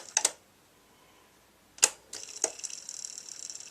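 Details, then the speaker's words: B&O Beocentre 2200 cassette deck, old machine on first power-up, rewind would not engage: on fast-forward a few sharp clicks as the mechanism engages, then a thin steady whir of normal fast winding; play did not work afterward. "try fast-forward you can hear the Machine you can hear a machine actually oh there we go"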